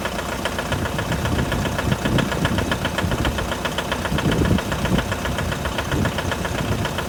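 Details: 2011 Mitsubishi L200 with 4D56 diesel at cold idle: uneven, sharp metallic knocking over the diesel clatter; cold-start engine knock, cause unknown.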